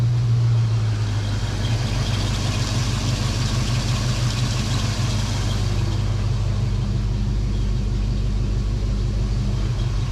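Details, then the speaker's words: Fox-body Ford Mustang 5.0 V8 after cleaning the dirty EGR valve: smooth, deep, even idle around 1,000 rpm with no surging or stumbling; previous rough idle and surge attributed to the EGR valve. "so far so good no surges [Music] the idle sounds so much better I'm gonna guess that that EGR valve was my issue"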